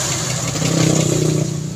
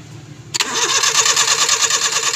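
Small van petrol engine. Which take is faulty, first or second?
second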